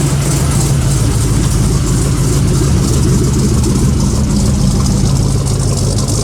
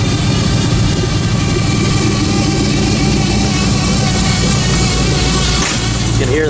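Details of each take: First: 1956 Buick V8 with a small Stage 1 Summit cam, idling warm after a cold start: deep, steady low rumble with a slight even lope, no knocks or ticks; initial start-up noise blamed on air in the Hydro Boost power steering pump. Healthy idle. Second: Cold start on a '56 Buick with Hydro Boost and a stage one Summit cam: steady high whine over a loud, even cold idle right after start-up, fading once warm; owner suspects air trapped in the power steering pump (transmission already replaced).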